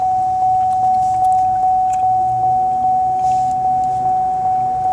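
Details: 2005 Chevy Impala power window switch pressed: a constant high buzz with a faint tick about twice a second while the glass stays put. The cause is a broken line, most likely the switch ground wire; reconnecting it restores the window.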